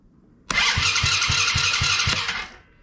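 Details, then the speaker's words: Coolster 110cc quad after two years sitting, new battery, rewired start switch, tank empty: starter spins engine with steady, strong even pulses about four a second; electric start working. "okay that works electric start works"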